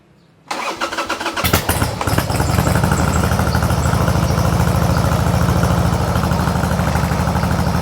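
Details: Mostly original carbureted two-cylinder Harley Sportster cold-started on choke with the fuel tap opened; catches and settles into an uneven loping potato-potato idle, heavy vibration; exhaust apparently altered; normal cold start and idle.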